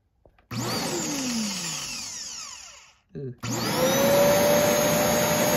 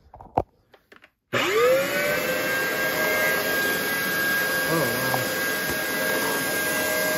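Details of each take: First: Shark DuoClean vacuum, water having come out of it, motor reportedly iffy, with a possibly sticking switch: motor whirs up to steady high whine, cuts out briefly, then restarts cleanly and holds an even pitch; normal vacuum motor run. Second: Shark vacuum motor, possibly water-damaged, possibly locked up before freeing: spins up into a harsh, gritty whine with a thin steady tone on top, smells of carbon; motor worn out, failing.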